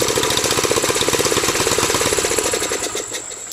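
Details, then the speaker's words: 1984 Honda kickstart bike, about 27 years old, with a slightly rusted muffler; it smokes a little. Rapid, even single-cylinder putter at idle, then dies away as it is switched off; no knocks: normal idle. "It's a kickstart, and I'll go ahead and start it up for you. It smokes a little bit, but it's alright."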